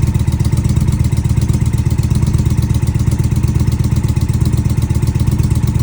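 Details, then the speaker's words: Indian Challenger at idle after sealing an exhaust pipe leak with high-temp Permatex sealant: deep steady thumping with even pulse, no puffing or ticking at the pipe joint; exhaust sealed and healthy. "slid it back on, made sure it was snug, tightened everything down, cranked the bike up, and success."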